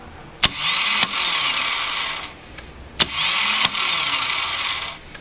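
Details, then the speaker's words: 2007 Harley-Davidson Night Train that bogged and then wouldn't start: two bursts of high, free-spinning starter whine between clicks with the engine not turning over; failed starter clutch. "what it's like when you hear this noise you could be pretty sure that it's the starter clutch or the Bendix or the whole starter"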